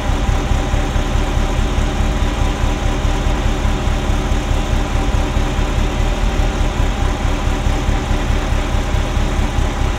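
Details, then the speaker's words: Ferrari Mondial V8 at idle: lumpy, uneven rumble stumbling about every second, popping like an old marine engine. Pulling the bottom sensor plug does nothing. Timing is out; owner suspects a sensor but is unsure. Misfire on cylinders 5-8. "So it's running rough, popping and banging. It kind of sounds like an old marine engine at the moment. There's a thrumming that there shouldn't be, so it's uneven."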